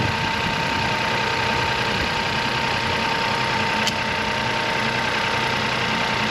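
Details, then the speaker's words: Crash-damaged Copart salvage car started on jump leads: engine settles to steady even idle, no knocking or stumbling over light hum; runs fine. "Sounds all right. All of this should be all right, shouldn't it? Really? Engine wise"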